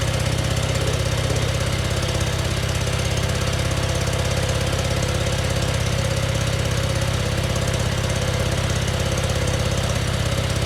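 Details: Scag zero-turn mower with a replacement engine, fresh oil and a new oil filter: starts right away into a steady, even fast-idle drone with no knocks or misses; normal running.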